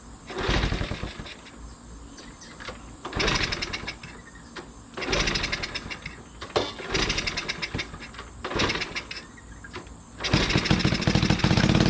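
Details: 1980 Honda CT70 mini bike, hot-wired off the magneto, after replacing a fouled spark plug: four or five kicks with brief coughs, then it catches and settles into a steady run; engine starts and runs.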